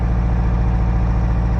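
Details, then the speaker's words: 1985 Toyota MR2 idling, heard from outside the car, no smoke from the tailpipe: steady low idle with a faint recurring stumble, not running smoothly; owner suspects one cylinder not firing at all. "so that tells me it's pretty likely that there is only one cylinder that isn't firing at all can hear it from the outside here too it's not running too smoothly"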